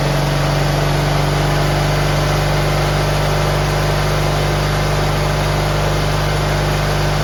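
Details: GT18 garden tractor twin, carburetor refitted and repairs done, air cleaner still off: steady, even beat holding constant speed with no stumble, flooding or misfire; previously it flooded and chuffed smoke past half throttle once warm.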